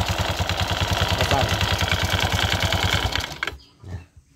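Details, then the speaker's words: Honda Vario FI 110 scooter, CVT cover removed, at idle and when revved: rough, regular knocking clatter about three knocks a second, stopping with the engine; worn CVT rollers, collar and roller housing. "Suaranya sangat kasar."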